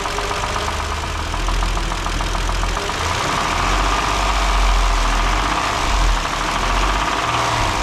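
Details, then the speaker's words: 2012 Kia Sorento 3.5L V6, 252,000 miles, previously run out of oil, idling while warming: a loose, uneven knock of three to four per second over a rattly idle. Oil starvation has likely damaged it; repair is judged not worthwhile. "all right so you guys probably heard the same thing I heard she's not looking good so at this time I'm gonna have to talk with a customer and tell them it's probably not worth sticking the money into uh she rattles hard"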